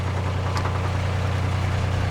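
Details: Narrowboat diesel under way before the weed hatch check, owner expecting a fouled propeller: steady low throb with an even beat under load, no clear knock; running hard, possibly the prop dragging.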